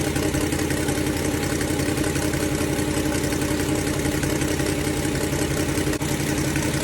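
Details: Ford Falcon 289 V8 idling during a cooling-system flush for rust-caused overheating: sharp rapid ticking puff on every firing pulse from an exhaust leak; fix planned for tomorrow.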